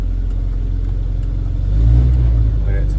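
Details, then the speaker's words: Rover P4 80 idling evenly with a steady low rumble, one brief swell in revs, no misses or pops, after fixing the faulty carburettor fuel shut-off solenoid that caused exhaust backfire at switch-off; engine warming up, no bang so far. "back on fingers crossed no bang so i think we've solved the problem of the backfire"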